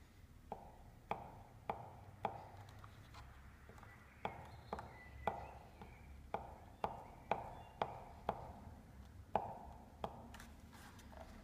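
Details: New Babyjogger City Elite stroller rolling: sharp plastic clacks about every two seconds at an uneven pace, also triggerable by hand; loose rattle in the front wheel.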